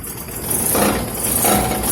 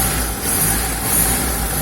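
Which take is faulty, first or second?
first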